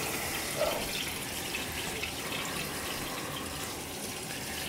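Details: Gas boiler hot-water heating zone after purging air through the supply; smooth, even hiss of water flowing with no gurgling or air bubbles, zone purged and quiet.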